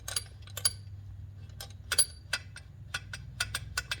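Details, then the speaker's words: Kohler K91 small engine during rebuild, turned slowly with light sharp irregular clicking from valve train; valve lash about 0.020 and 0.025 in, far out of spec; worn lifters may be swapped. "there's gonna be a lot of you know a lot of noise out of the valve train"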